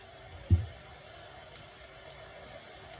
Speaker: you can also hear the clicking sound of the relay when an obstacle comes in front of the a sensor the relay gets activated